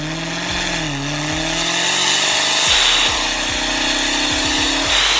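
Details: Dodge Demon 170 under hard acceleration from 0 to 20: strained, rasping drone rising and falling with revs, which the dealer called normal intake noise; traced to a damaged exhaust system and failed catalytic converters, later replaced.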